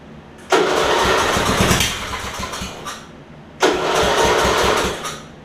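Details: Older Murray riding mower with governor issue, starter cable repaired, primed before cranking: two separate two-second bursts of rough churning cranking with a pause, engine never settling to run; hard starting.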